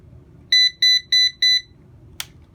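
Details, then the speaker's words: Eufy RoboVac model 11 partly disassembled, bumper detached, main brush motor checked and fuses good: four crisp high beeps then a click, the stuck-brush fault code with solid red light; faulty corner brush motors can also cause it. "it might fall for not having the bumper attached immediately goes into fault for stuck brush"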